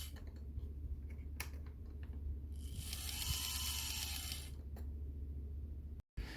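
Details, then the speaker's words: On30 Bachmann Pocahontas Lumber Rail Truck model, listed as not running: lights come on and the small motor whirs with a harsh ratcheting grind as the gears skip; three cracked gears were found in the drive. "Oh, it is trying to move. Well, it was listed as not running. Sounds like we got a gear issue here."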